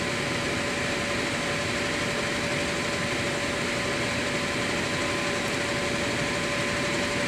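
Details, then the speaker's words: Air handler after fitting a new blower motor: a steady whoosh of air with a constant faint motor hum, no rubbing or rattling; correct rotation, heat strips on, running properly. "that was much better and we're going the proper rotation as well that's nice too"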